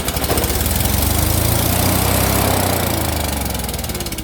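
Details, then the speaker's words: Yamaha EF6300iSE generator with electronic choke, running after a crank-but-no-start problem, on a separate fuel bottle: small engine pulsing steadily at about 200 beats per minute with an even drone; runs properly, though powerhead/stator issues remain. "maybe not now she now she runs so basically every every uh crank it would try to fire but then it wouldn't it just wouldn't uh wouldn't start up and run"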